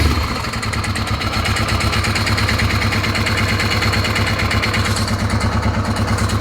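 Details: Suzuki DR 650 single-cylinder idling with a steady beat of about three pulses a second and a faint rattle on top; engine noise, source unclear.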